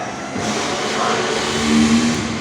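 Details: Indonesian motorcycle starter motor bench-tested directly on the battery, run only briefly because the small wire heats up: a steady, even electric whir that comes up quickly and spins freely with no catching or grinding. The starter motor is normal.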